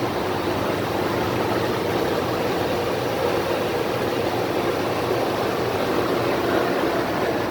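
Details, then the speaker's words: Toyota 2UZ-FE 4.7 V8 idling after timing belt kit, water pump, fan clutch, accessory belt, tensioner and idler replacement: smooth even idle, earlier squeal (belt or fan clutch suspected) gone. "that sounds good yes squealing before could have been a belt could have been fan lunch everything sounds smooth right now"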